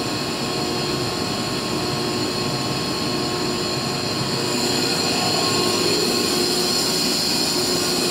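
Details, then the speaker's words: Used 2005 Boge 40 HP variable-speed-drive compressor, 480 V, 79,131 run hours, 1,909 loaded hours, at max rpm building pressure, about 68–70 dBA: loud steady airy roar with constant tone, no knocking or rattles; normal loaded full-speed run. "right here it is at max rpm obviously it's trying to get up the pressure here and we're running it's probably 68 to 70 DBA"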